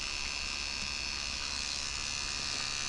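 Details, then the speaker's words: Refurbished, calibrated D. C. Johnson FAC-1 lambda control unit for K-Jetronic (CIS) fuel injection, frequency valve on bench: steady electric buzz with even fast pulse, valve cycling normally. "hear the thing buzzing. This device has already been calibrated and we can see the green trace is the output frequency before it goes to the power stage."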